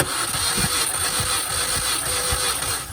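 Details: 2005 Mini Cooper S cranked with the starter jumpered directly from the battery to bypass the immobilizer for a compression test; starter spins the engine at a quick, even beat with no grinding or clicking, turning over freely.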